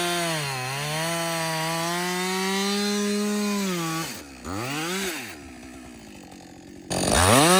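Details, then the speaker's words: Husqvarna 562XP chainsaw back from the shop after a software reflash recommended by Husqvarna; it previously died when hot, wouldn't start and stumbled. Cutting wood on its first full tank without stopping: screams at full throttle, bogs slightly into the cut, drops to idle, revs cleanly again. Normal running under load. "so this is a real life scenario right we're cutting we're cutting yeah you keep working this is really the First full tank I've run through this thing like without stopping"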